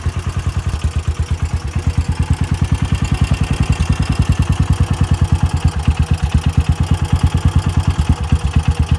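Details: Kawasaki Mule 610 after fixing the flooding carburettor's needle and seat, having been hydro-locked, warming up. Steady, even low thumping at about three beats a second with no misses. Normal idle.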